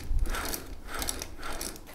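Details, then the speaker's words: Harrison HS223 mill vertical head, spindle taper roller bearings turned by hand after preload adjustment. Light, dry rattling ticks come in soft bursts, the rollers rattling ever so slightly, marking correct preload. "you can hear the rollers just rattle ever so slightly and that's my mark"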